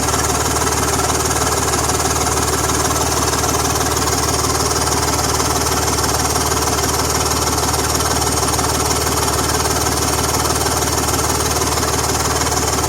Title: BMW M54 Exhaust Leak noise!